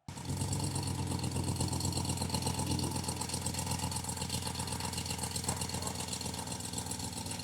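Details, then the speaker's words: RAM 1500 DS/DT petrol HEMI V8 at idle: rapid light ticking, about four a second, keeping pace with the engine; the common HEMI tick from a cracked exhaust manifold leak, fixed by replacing both manifolds. "The 1500s in general, the petrol ones, they have an issue with the manifold cracks. Now, what you'll hear when this happens is a ticking noise in the engine"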